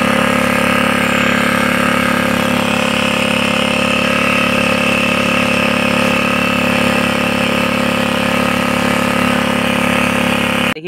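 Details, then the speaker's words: Honda GX80 water pump engine after tank, filter box and carburetor cleaning: steady, even single-cylinder drone holding one speed, no misses, surging or knocks; running cleanly. "देखिए मेरा machine स्ट हो proper चल रहा है देखिए बहुत बढ़िया चल रहा है"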